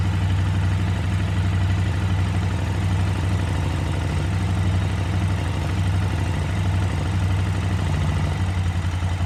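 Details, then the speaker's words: KTM 950 V-twin at idle after carb sync, both airflow readings close to about 10: even, steady lope with no stumble or hunting; carbs balanced, running healthy. "okay so now they're both pretty close um very very sensitive"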